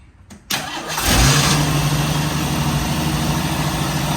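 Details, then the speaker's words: 1985 Jeep CJ7 250 cubic inch six-cylinder, first start after a Holley Sniper EFI install; short crank, catches within a second and settles into a smooth even idle with no misses or knocks; normal start and idle. "let's see if it let's see if it cranks Jacob go ahead and uh go ahead and fire it up or Crank It Up"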